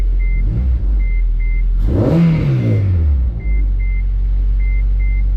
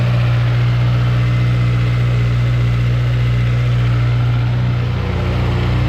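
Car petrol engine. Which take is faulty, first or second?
first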